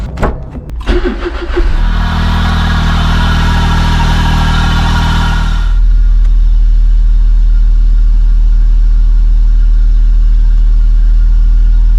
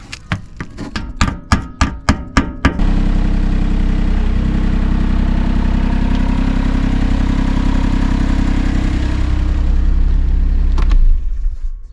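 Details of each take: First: 2008 Smart Fortwo 451 Passion 84 BHP at idle, noise from the rear: constant droning howl, present with AC on or off and varying with engine speed, after acrid burning smell; burnt-out AC compressor clutch and pulley bearing, AC no longer working. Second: 2008 Smart Fortwo 451 Passion 84 bhp, with the belt driving only the failed air-con compressor (burnt-out clutch that had howled with engine speed) removed: brief cranking, then steady, smooth, even idle with no squeal or knock.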